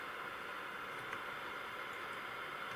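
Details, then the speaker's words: Ferranti MPT1089 mains/battery transistor radio, circa 1962-63, first power-up before disassembly, about 30 mA draw: steady hiss only, no stations, no response to wave change; suspects no local oscillator, converter not working. "no sensitivity to the wave change so perhaps the converter's not working that might be what's wrong with it"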